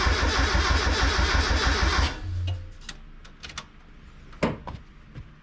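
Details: Turbocharged Mazda Miata, first start after clutch and flywheel install: two seconds of even cranking at about three beats a second, then drops out without catching; gauge read lean, and a coil connector wasn't snapped in.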